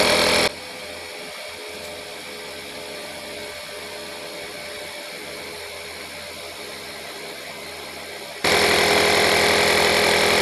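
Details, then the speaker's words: Stanley FatMax portable compressor inflating a flat tire set to 12 PSI: small motor buzzes steadily with even pumping pulses about three a second, no strain; cuts off automatically at 11.9 PSI, working well. "okay it's uh it cut off at 11.9 and the tire is uh totally aired up so the compressor works pretty good"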